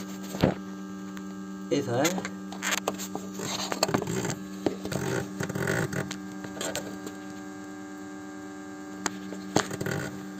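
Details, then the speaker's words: BMW 520i E60 during a coolant change and bleed, ignition on, engine off, heater at maximum, fan at minimum. A steady low electric hum comes from the auxiliary coolant pump, vibrating with water moving: normal operation. "tu peux entendre si on met la main dessus on remarque qu'il vibre on entend même l'eau bouger"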